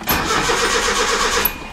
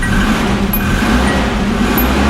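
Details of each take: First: Original 1980 Datsun 200SX, 5-speed manual, 113,272 miles, sat about 5 years: starter cranks the engine at a steady even rhythm but it never catches; no fuel delivery. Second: Original 1980 Datsun 200SX, 5-speed manual, 113,272 miles, starting after sitting about 5 years: an even, steady engine note with no misses, knocks or ticks over light street noise; running normally.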